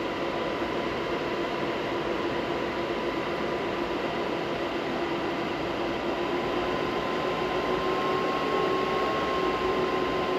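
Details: Stock fans on an ASIC miner before Noctua upgrade, drawing 1,100 W, about 68 dB: loud steady fan rush with a clear whine creeping up in pitch as fans ramp to full speed; normal.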